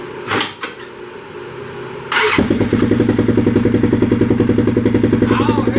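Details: Polaris 570 Ace engine after complete rebuild for a strong knock, first start after refilling fluids: cranks, catches at once and settles into an even, steady idle with a clean firing beat and no knocks.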